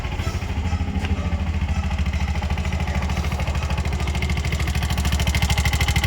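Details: Bajaj BS6 single-plug motorcycle burning half to three-quarter litre of oil daily, tappet noise suspected: idle carries a sharp regular ticking clatter about three per second; camshaft rocker found seized.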